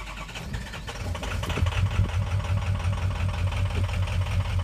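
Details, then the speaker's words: Ford 6.0 Powerstroke starting with low FICM voltage: cranks and catches with lumpy, uneven, wavering low thump; weak injector drive, IDS live data shows cylinder 2 not contributing. "And here I'll show you what this one sounds like when it starts, just to give you an idea of what we're looking for. Because again, we have the low voltage."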